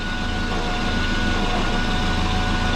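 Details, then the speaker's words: Twin-turbo Subaru with GT35 turbo and headers: steady idle rumble with a soft rhythmic puffing chuff under it, suspected exhaust leak near the headers or a non-flat flange or head gaskets; cause not confirmed. "it just sounds like there's an exhaust lake down here somewhere yeah i can hear a chuffing going on"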